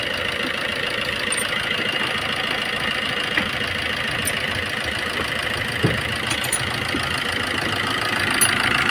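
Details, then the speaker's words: Maruti Suzuki Swift diesel at about 154,000 km, after replacing the complete timing kit that caused heavy knocking: now an even idle with steady diesel clatter and no knock. "यह देख सकते हो एकदम silent हो गया कुछ है सब चेक कर लो फिर फिटिंग करो"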